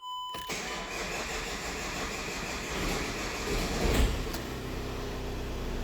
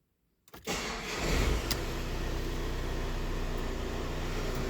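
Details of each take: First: VW Crafter with intermittent long crank: steady starter churning for several seconds before it starts. Fuel pressure built in 2.6 s, but cranking continued 4.8 s more, so fuel pressure is not the cause. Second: VW Crafter diesel with an intermittent long-crank complaint: short crank of about 2.7 seconds, within the 2–3 second average for this vehicle, then catches cleanly into an even, steady idle; normal start.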